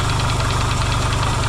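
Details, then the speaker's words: Yamaha XS650 twin, freshly reinstalled engine after oil-burning repair, first run, warmed up: even steady low idle thump without stumbles or knocks, quiet; smoking, owner hopes break-in. Normal idle. "cool well it runs actually pretty good so it's quiet too no pinging or weird noises going on so that's a good sign"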